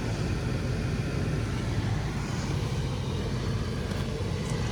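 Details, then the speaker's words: 2016 Toyota 4Runner 4.0 with an intermittent blower motor (worked, then stopped; old unit smelled burnt), tested after blower motor replacement: smooth constant air rush with faint hum, no squeal, rattle or cutout; normal blower operation. "So as you can hear it's working."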